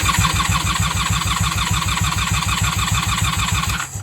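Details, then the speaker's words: 1994 Honda Magna 750 VF750C, new fuel lines fitted and airbox removed, on choke with a good battery: the starter churns a steady three compression beats a second without catching while fuel is drawn through; it starts on a later try. "All right, so far she's not starting. We are on choke. We are on run. She sounds solid. The battery's really good."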